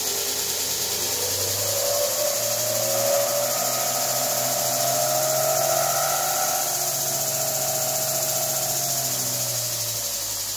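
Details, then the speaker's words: Chinese knife-maker's belt grinder after replacing a failed inverter and rewiring: steady motor hum with strong fan rush, pitch easing up then holding even, no knocks or rubbing; runs healthy. "tell you that little motor fan really uh runs hard and i can feel it sucks air in"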